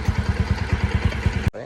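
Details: Bajaj NS200 BS3 single, after repair for engine-noise complaint: timing chain tensioner replaced and tappets adjusted. Steady idle of roughly seven even thumps a second, no tapping or rattle, then shuts off; healthy.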